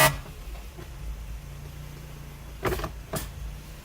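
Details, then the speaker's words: Lexus IS300, engine running, shifted from park to drive so the automatic door locking engages: two short, harsh buzzing grinds about half a second apart from the passenger door. Worn power door lock actuator. "you heard it right there that's the noise every single time when I take it from Park to drive and of course there's I believe a setting for automatic door locking and I think that's what's happening anyway let's do it again"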